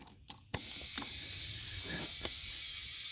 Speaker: yep I hear it coming out so that's a pretty good hole wherever it's at